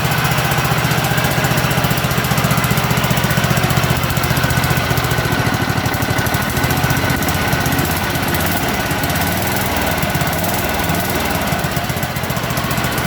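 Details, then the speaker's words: 1983 John Deere mower's single-cylinder engine, freshly started on choke after a new battery was fitted: steady, even thumping beat with no misses or knocks; runs clean and healthy. "Still runs perfect. Still runs perfect."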